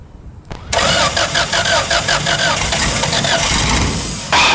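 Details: Revmaster air-cooled VW engine on a Sonex aircraft, started after sitting weeks with fuel and spark checked; short crank with rapid even pulses, catches cleanly and settles into steady smooth idle, sounds great.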